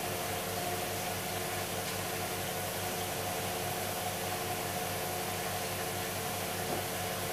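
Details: Hoover Dynamic DXCC69IB3 9 kg washer, final spin at full speed: smooth, steady hum with soft whoosh, no knocking or scraping; a healthy, very quiet spin.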